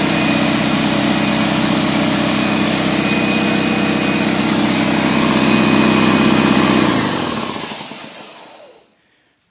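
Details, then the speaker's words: DeWalt 4.5-gallon portable air compressor (200 psi, 5.2 SCFM at 90 psi, 1.8 hp, 15 A motor) on a 20 A circuit, part of a no-start check: steady, even motor-and-pump drone, then a clean wind-down; this unit runs fine. "there you go that one there actually sounds like it's working good"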